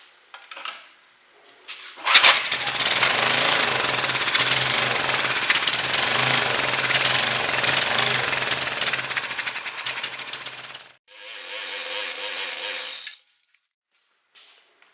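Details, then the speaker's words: 1200 W Honda-clone generator that won't start, fuel squirted into the carburetor: runs rough about nine seconds then dies; compression and generator output fine, fuel not reaching the carburetor. "So, the reason why I did that is it tells me a couple of things. The engine has enough compression to run."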